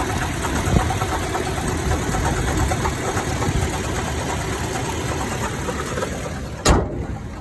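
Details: 2014 Toyota Tacoma TRD OffRoad at idle: steady idle with irregular low clunk and one heavier knock, only at idle or slightly above, changes briefly when AC toggled; AC compressor clutch and coil had melted and failed, replacing them cured it.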